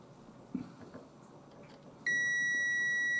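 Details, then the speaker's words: Paradise EGA card failing to POST: multimeter continuity test gives steady high beep over a second across a capacitor, dead short; capacitor removed and confirmed dead. "that sounds a bit suspicious so let's lift that capacitor out and see whether that could be our [Music] problem"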